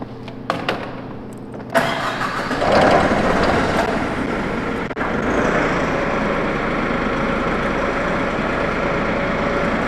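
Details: Brand-new 2021 Toyota 3,000 lb diesel pneumatic forklift: the starter whirrs briefly, then the diesel catches and settles into a steady, even idle clatter with no misses or knocks. Healthy start and idle.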